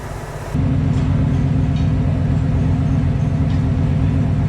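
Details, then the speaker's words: Fox Body Mustang V8, after a no-parts fix: a brief blip, then a steady, even low rumble with no misses or shake; the owner no longer has to keep a foot on the gas. Normal idle. "Here it is. No parts whatsoever. No vibration, nothing. Look at that."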